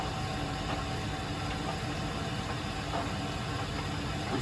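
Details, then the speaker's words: Weil-McLain WM97+ condensing gas boiler on a high-pressure/leaking relief valve call, at about 100% firing, blower 4930 RPM (88%), flame signal 108; steady even blower roar with faint hum, no surging, firing cleanly. "Right now, we are running at I think 100%. Let's see. Diagnostics. We're at 4930 RPM right now."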